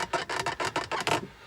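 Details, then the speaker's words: Porsche 911 (991) center console lid, empty, giving about eight quick dry plastic creaks under any weight; the new crested lid already fitted helped only a little. "annoying and there's nothing in it but it is super squeaky any weight whatsoever yeah how annoying is that super annoying"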